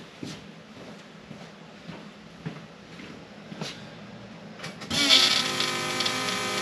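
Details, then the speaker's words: Trans Am fuel pump at key-on, compared with the 1979 Camaro's loud pump: a few seconds of faint ticking, then a smooth, steady electric hum; a quiet, normal prime. "So I believe the key's on. Can't even hear that one."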